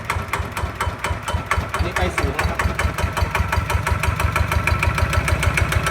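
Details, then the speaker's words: Kawama 9.5 hp single-cylinder walk-behind tractor diesel engine, new, starting easily and running with a crisp, even thump of about five beats a second; steady and regular, a healthy runner. "ติดง่ายครับติดง่ายมาก"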